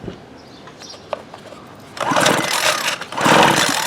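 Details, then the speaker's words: Water-soaked 2016 Homelite 26cc curved-shaft two-stroke trimmer, spark plug out, cranked by pull cord: two loud hissing, spitting bursts as water blows out of the cylinder; water found everywhere, cylinder needs drying out. "it's all coming out of the cylinder good Lord man that is just wild I got water coming from everywhere"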